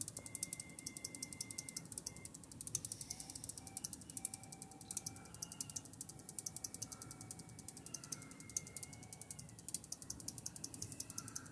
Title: PSU rattle sound, but it's not the fan